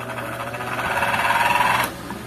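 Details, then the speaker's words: Orbit ceiling fan with a worn bushing: motor whirs and rattles briefly when plugged in, then stops turning, leaving only a steady electrical hum; the capacitor looked intact. "Ugong na lang natira y Ugong na lang mga Master natira na siya umikot no"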